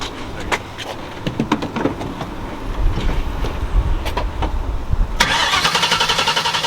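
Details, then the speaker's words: Turbo Mustang (Bullitt), smoothest engine start in about a year right after new spark plugs, in neutral: a few clicks, then it catches promptly with a strong, even roar. "rip man yo that's the smoothest this thing started up in like a year pretty good"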